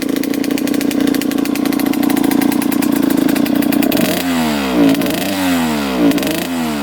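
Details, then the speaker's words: 2003 Suzuki RM125 two-stroke dirt bike with a bad bog: rough, crackly high-pitched running, revs swell and sag sluggishly on each blip; blue smoke, no crankcase-oil smell, owner suspects running rich, possibly coolant. "so it might just be running rich you can definitely hear it's boggy"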